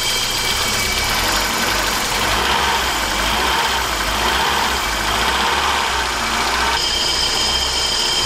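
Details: BMW E30 318i M40 four-cylinder, previously running on three cylinders, after repair: steady, even idle with a smooth hum and no misfire stumble or knocking; running cleanly on all cylinders, normal idle.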